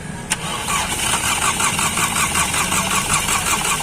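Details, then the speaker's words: Skoda Laura 1.8 TFSI cranking with one new ignition coil removed and a test spark plug fitted: steady rhythmic cranking about three beats a second, never firing; no spark, suspected shorted altered wiring. "देख सकते हो इसमें spark ही नहीं ए रहा है बस बस बस गाड़ी स्टार्ट नहीं हो रही जब तक इसको इस पार्क नहीं मिलेगा इस बार को गाड़ी स्टार्ट नहीं होगा"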